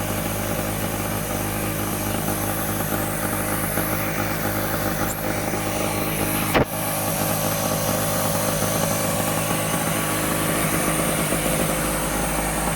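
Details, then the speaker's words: Medusa Compact 950 two-stroke generator after fitting new fuel tap, first cold start with choke on: steady, even buzzy note with one brief knock, no stumbling; running normally. "Lovely little sounding two-stroke there. Right, so that was a success."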